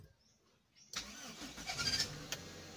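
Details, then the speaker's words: Toyota Corolla that would not start and stalled, after new spark plugs, high-tension cables and a replacement part; engine catches at once and idles evenly, timing correct, alternator charging, battery somewhat weak. "Ayan umandar na siya guys. Is-start lang. So tama 'yung timing natin."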